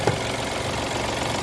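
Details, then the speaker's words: Mitsubishi Mirage automatic, cold engine, aircon off: uneven lumpy idle with wavering beat, strong vibration, not stable. Rough unstable idle; cause unconfirmed, oil change and treatment planned. "Wala pang aircon so Ayan guys malamig na malamig yung makina nanginginig"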